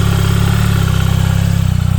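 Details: 2024 BMW R1300GS boxer at cold idle: rough, gritty grinding over the engine beat. It sometimes persists through the first several minutes of riding but always disappears at operating temperature; attributed to clutch failure.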